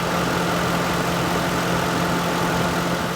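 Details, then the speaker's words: Lincoln Town Car AC compressor after adding 3-in-1 stop leak and a full can of Freon to the green zone, previously cycling intermittently: steady idle with an even constant hum, compressor running full time, blowing cold, healthy. "Okay, I'm in the green zone. I put the whole can in there, and you can hear that compressor. It is completely full-time going."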